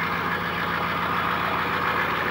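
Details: 1995 GMC 6.5L turbo diesel with a newly installed used PMD, idling after a cold start following a long sit, oil change about 3,000 miles overdue: even diesel clatter, smooth rhythm, no misfire or uneven knock; healthy normal idle.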